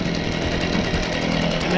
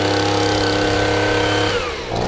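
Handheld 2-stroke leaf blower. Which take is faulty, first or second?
second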